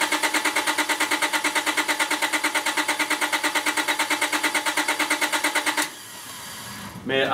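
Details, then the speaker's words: 2001 Honda Accord on a NOCO GB70 jump pack with the PGM-FI main relay unplugged so it cannot run; owner suspects a bad ignition switch. Fast, even starter whirring for about six seconds, never fires, stopped to avoid overheating the starter. "I tell you what guys I'm just I'm not willing to crank this thing any further I am uh concerned about overheating the starter"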